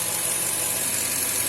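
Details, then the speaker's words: 2000 Toyota Tundra 4.7 L V8, code P0171 lean, at idle with the purge valve blocked: a steady airy hiss that doesn't change; vacuum leaking internally through the brake booster fed from the intake manifold, causing lean running. "بس شوفوا طبعا عندنا تسريب شيء آخر غير متوقع طبعا، اللي هو سيركو الفرامل أو حسب ما يسموه، اللي هو الخط هذا منين ياخذ؟ هذا ياخذ من انتيك مانيفولد، هواء مسحوب ياخذ من وين؟ من انتيك مانيفولد ويعطي للسيركو الفرامل."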